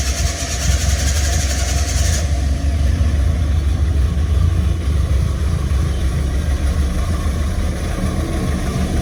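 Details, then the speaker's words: Ford Escort XR3i rough runner, cold start with no foot on the accelerator after a new fuel filter, spark plugs and HT leads: cranks briefly, catches without throttle and settles into a steady, even idle; previously died straight away; normal cold start. "Obviously that was literally cold start, me not even having my foot on the accelerator."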